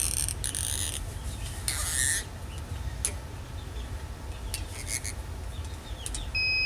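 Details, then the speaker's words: Tormach PCNC440 mill tool changer low-pressure switch, set point drifted over months (regulator raised 90 to 120 psi): birds squawk, then steady multimeter continuity beep as set screw turned clockwise; switch closes, signaling 80 psi as low pressure. "there it goes so the multimeter is gone off so what that tells the tool changer is that 80psi is low pressure"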